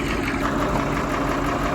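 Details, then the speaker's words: Massey Ferguson 1800 diesel tractor, engine seized eight months ago and since revived, idling hot to cool down after chisel plowing: steady, even idle with smooth low rumble, no knocks or misses; running healthy. "yeah who knew that 8 months ago that was a Seas up engine this was going to the scrapyard and now look at her just singing along like a beauty turn like a big old Kitty kitten just love it"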